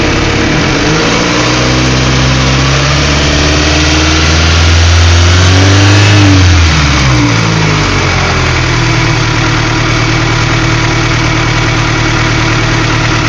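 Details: Honda B16A engine with J1 transmission: steady idle, then a rev that hunts up and down before dropping back unevenly; erratic idle that won't settle, cause unconfirmed.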